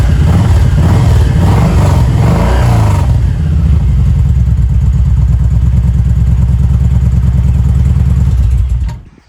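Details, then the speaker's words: 2016 Kawasaki Vulcan 1700 V-twin after an oil change and grip swap: several sharp throttle blips, then an even, loping idle that stays steady with the throttle returning cleanly; healthy running. "All right, let's make sure the throttle's still happy. And if it is, we're done."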